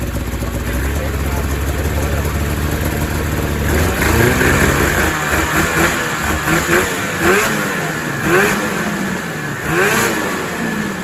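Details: 2000 Ski-Doo MXZ-X 440 two-stroke race snowmobile, fuel system flushed, running without airbox: loud, uneven burbling between throttle blips, loaded up at idle; owner thinks it runs a little fat low down, tuning pending.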